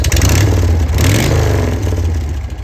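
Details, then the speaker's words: 1981 Harley-Davidson FX Shovelhead with newly built exhaust and complete rewire: deep, lumpy twin beat swells with a throttle blip and settles back; still a little white smoke, but it runs great. "Still blowing a little white smoke, but bike ran great."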